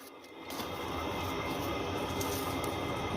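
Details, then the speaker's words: Chinese 8 kW diesel heater in a 1986 Fleetwood Prowler 23P travel trailer, outside exhaust with muffler fitted: soft steady rushing hiss with faint fast pulse; exhaust running evenly and quietly. "alright so that is as loud as it's really gonna be with with the furnace and the muffler and slider on"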